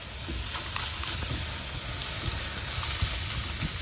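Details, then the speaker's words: Evcon 3-ton R410A condensing unit with a microchannel coil, not cooling: a thin, steady, very loud high-pitched hiss picked up by an ultrasonic leak detector; soapy water confirmed the refrigerant leak. "it's so strong it's very very loud remember it's an ultrasonic leak detector we're gonna need to get the soapy water"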